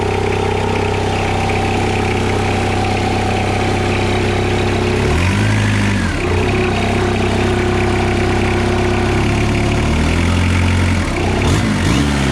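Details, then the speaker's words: Diesel idling steadily with an irregular chatter that comes and goes every few seconds; the belt tensioner flicks, its oil-filled spring damper faulty; belt tensioner noise. "see how you can hear that noise now and then it goes away so you can see the tension of flicking and it's actually got a dampener there's a spring in there with its oil filled as well and that's crook"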